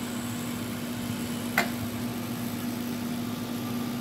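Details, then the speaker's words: Repaired Rivarossi Heisler model locomotive running on the track without cars: faint steady motor hum, one small click, no grinding or stutter; runs smoothly but not fast. Normal running. "As you see, it's running. It don't run too fast though."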